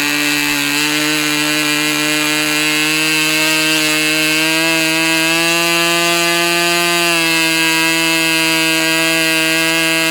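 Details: Customer's Fox twin-cylinder glow model engine after leaning low-speed needle about three clicks: high steady buzz climbing slightly and holding smooth without sag or sputter; running cleanly, a good run.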